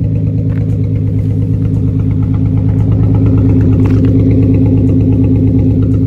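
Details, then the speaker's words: Nissan 350Z, owner suspects blown-out spark plugs, car shaking with rattle and smell of fuel: deep, lumpy idle with uneven chuff about three times a second, engine misfiring at idle. "yeah so it's definitely misfiring"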